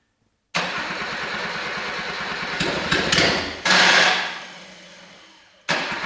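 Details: Freshly rebuilt Suzuki SJ410 F10A engine, first start on a temporary frame with makeshift wiring harness: steady cranking about five seconds with short sputtering bursts, never settles into an even idle; hard start, a small problem, cause unknown.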